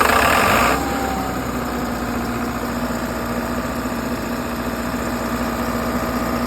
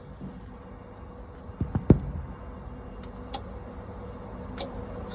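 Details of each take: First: 60kW Kohler REOZJ diesel generator on a mobile MRI/X-ray trailer, running with fuel solenoid wired in and starter jumped after control board failed. Brief louder burst, then steady low diesel hum with even beat, no knocks; normal idle. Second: Kohler/John Deere 60 kW REOZJ generator on a mobile MRI/X-ray trailer, Dexa controller: relay clicks, LED 4 blinks, but nothing reaches the starter and it never cranks; E-stop LED on, damaged fuse, five-pin crank relay suspected.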